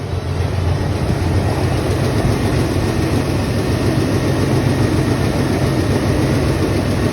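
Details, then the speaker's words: Oldsmobile 442 V8 that would not start because of no power at the coil, running after the coil power feed was found and fixed: steady, even rumble with no misses or knocks; normal running. "Oh, I found it. Oh. That's the power going to the coil. Yep, runs now."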